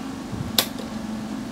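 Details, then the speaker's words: Hanaya/Astello DA5-315 500 W modified sine wave DC-to-AC inverter powering an electric fan: the stepped square-wave output makes the fan motor run with a steady low buzzing hum. "biasanya modified sine wave ini bermasalah ketika beban itu motor seperti kipas angin ini makan akan bedengung eh akan ada bunyi dengung sepertinya bisa kita dengar"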